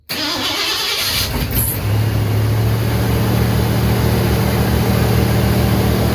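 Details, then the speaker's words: 1988 Ford F150 XLT 5.0 302 V8 2WD after new starter, battery cables, starter heat shield and tune-up: quick, brisk crank, clean catch, steady even idle with faint valve spring popping. "But let me go ahead and turn on the key and fire this old beast up. You can actually kind of hear the valves popping, or the springs."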